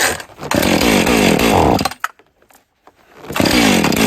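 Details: Husqvarna 450 X-Torque chainsaw test run after repairing a broken kill-switch ground wire and cleaning the air filter: strong, clean high-revving buzz that drops and picks straight back up; runs crisply and healthy.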